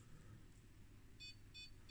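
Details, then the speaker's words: Bench power supply feeding 1 V backwards into an HP 181A oscilloscope power supply: sharp high beeps about three times a second over a quiet hum, the supply's short-circuit alarm; cause was a shorted capacitor across the output. "And as you hear here, the power supply is complaining about a short."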